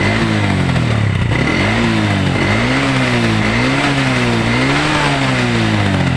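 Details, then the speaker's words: Old Honda Revo single-cylinder motorcycle that smokes and lacks power, revving up and down: uneven, lumpy, coarse beat that never settles smooth; rough running, cause not yet found. "Suara mesinnya cukup kasar, seperti yang terdengar di video sebelumnya."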